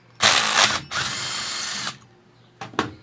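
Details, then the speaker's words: BMW electric center stand motor on bench test, eBay-bought unit: short whirring runs with uneven starts and stops, pitch a bit low; sluggish motor. "this motor is. It could be, you know, getting a little tired. So I am going to change it on this particular center stand before I send it out."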